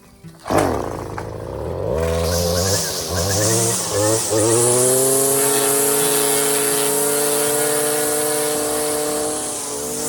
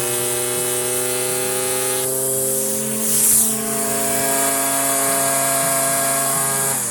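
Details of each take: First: Stihl FS56 string trimmer with the line cut too short; the engine climbs to a thin, screaming steady pitch and holds it with no load, over-revving. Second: Stihl FS56 residential string trimmer in tall grass, revving up as string shortens on a fence post. Steady high buzzing at full throttle, stepping cleanly with line length; runs strong and healthy.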